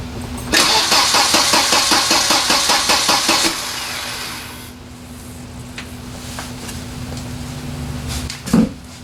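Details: Volvo 940 turbo wagon, stranded with a no-start, retried after a repair with new crush washers, fuel pump heard priming: starter cranks steadily at about two and a half turns a second for three seconds without catching; crank, no start.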